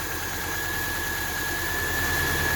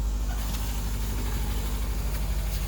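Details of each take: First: 2000 Subaru Outback, almost 200,000 miles, just after adding engine restore, radiator stop leak and Sea Foam: starts right away and idles quietly with an even hum and faint whine, and the earlier valve tap is no longer heard. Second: 2000 Subaru Outback, almost 200,000 miles, head gaskets replaced about a year ago and owner suspects they have blown again; at idle a faint quick ticking of about three per second rides over the rumble, valve tap from the top end, before additive treatment.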